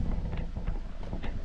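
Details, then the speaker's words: 2008 Honda Accord after replacing a split, dry-rotted intake duct that let in unmetered air: low, steady, even idle rumble with no hunting or surging, partly masked by wind; no longer idling high, AC being switched off. "Alright, seems to be idling just fine now with that duct replaced. Let's see, we turn the AC off, it'll come down a little more maybe. Seems to be running great though."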